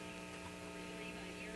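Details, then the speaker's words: 1950 RCA 9-X-561 vacuum tube radio after recapping and resistor replacement. A steady low hum with evenly spaced buzzy overtones persists when the volume is turned down: mains hum, cause not yet confirmed. "and it it doesn't really go away when I turn the volume down so here's the turn the volume up that turned down that hum is still there here now"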